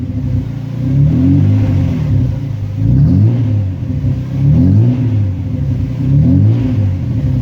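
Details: VL Commodore, sat for a while, fresh 98 premium fuel added; crisp even throttle blips about every 1.5 seconds, pulling cleanly and dropping back to steady idle after initial rough start cleared; running sweet.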